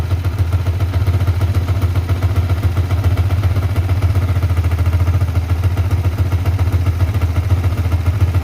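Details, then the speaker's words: Yamaha Vixion NVL after oil service fixing cylinder-head ticking from oil starvation: steady even fast single-cylinder idle patter, no knocking, a bit loud and idle somewhat high, residual spilled oil smoking off; oil confirmed reaching the head. "ini Memang stasionernya agak keras agak besar yang penting oli sudah naik"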